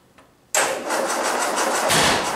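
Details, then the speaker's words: 1961 Land Rover, first start after full rebuild (rebored +40, crank ground, new Weber carb), not run for 18 years, ignition not yet timed: engine catches after a pause and runs raggedly; rough start with timing unset. "ooh it's going to backfire a bit because it's not timed up"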